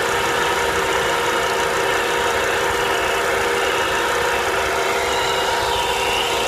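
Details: Volvo V70R idle: steady hiss and rough whirring with a faint high whine on top; noise disappears with the serpentine belt removed, so the alternator is suspected, probably a bad bearing; owner plans to replace it.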